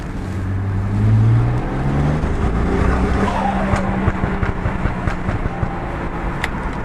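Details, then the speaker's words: BMW N54 car accelerating hard on the road: engine turns rough and uneven, service engine light and cylinder misfire code appear once it reaches 3000 rpm; ignition coil suspected. "no podéis ver la verdad service engine son pues nada es el error ha visto que ha sido apretarle y una vez que llega a las tres mil revoluciones salta"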